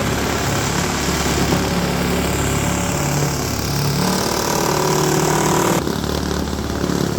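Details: Roadside-rescued, rehabbed Toro S-200 two-stroke snowblower with a 2x4-in-the-drum hack, started cold on its first snow test: steady, even drone that holds pace as the auger bites into snow, no misses or knocks; running normally under load.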